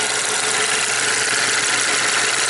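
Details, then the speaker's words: 2010 Chevy Equinox with low power, P0016/P0011 and fuel pressure codes: dense metallic clatter at idle. Timing chain rattle is suspected with a faulty tensioner, and timing seems off with idle vacuum about 7 versus about 20 normal. Engine needs teardown. "you actually you can hear the timing chain rattle I think the tensioner is messed up can you hear it yeah this engine needs to come apart at least nothing's bent yet"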